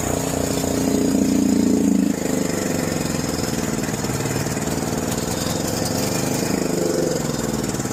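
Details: John Deere 6200-watt generator, dry-stored four years with old fuel left in the carburetor, which turned to varnish. After cleaning, at about half choke, it gives a loud surge that drops off, then a lumpy, wavering run. There may not be enough gas.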